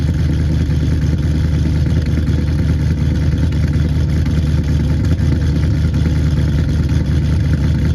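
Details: 2009 Pontiac G8 GT 6.0 LS V8 cold start at about 40°F, rebuilt after DOD lifter failure with LS7 lifters, BTR Red Hot cam, Kooks long tubes, tuned: deep steady rumble at raised cold idle, no ticking or misses; healthy.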